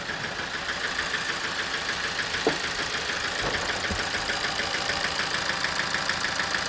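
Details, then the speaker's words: 2007 Toyota Avensis D4-D diesel with low power, ticking and flashing engine light: rough idle with rapid, uneven ticking knock over hissy background; code P1238 injector current, likely injector four, causing misfire and knock. "so i'll let you hear the engine there you go sounds like a mess because it is a mess"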